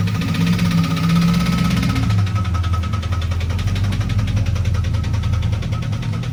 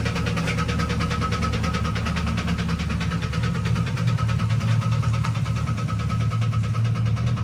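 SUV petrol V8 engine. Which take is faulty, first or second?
second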